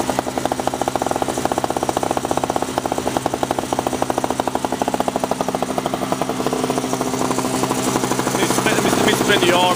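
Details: 2003 Sears Craftsman two-stroke snowblower after sitting two years; clogged fuel filter, intake gasket replaced, spark plug seized in head. Fast, even popping exhaust beat holds steady, firming slightly under auger load; smooth, healthy normal running.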